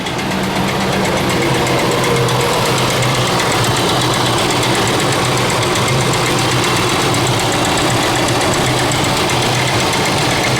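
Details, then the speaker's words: 2000 Ford Expedition 4.6L idling: constant loose clattering like marbles in a can, timing chain slapping the side of its housing; owner intends timing chain rattle fix. "you can hear this clickey clacky noise sounds like marbles in a can or whatever common chain is slapping against the side of the housing"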